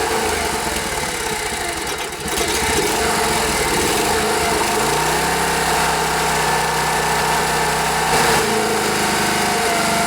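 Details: Rare Briggs & Stratton air-cooled 5 hp outboard, after fixing fuel delivery by making the fuel pump line and primer bulb connections airtight; steady even engine note with constant low hum, no misses or knocks, music over it; runs normally.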